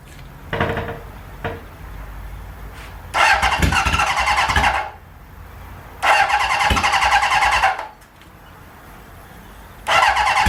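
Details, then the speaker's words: Barn-find 1977 Hondamatic motorcycle, long-stored, on its first start attempt with choke on and fuel flowing; repeated attempts catch briefly then die; cranks but won't start. "That's a good sign. She's trying. She really is trying."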